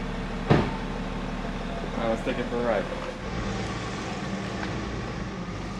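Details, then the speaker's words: 2010 BMW X5 diesel idling after a 3-inch hole was drilled through the DPF, MAP sensor and air ducts reconnected: steady, even, low smooth idle, no extra rattle or roar; no louder than before, no dash lights. "sounds the same like it's literally it doesn't sound any louder which is what we wanted"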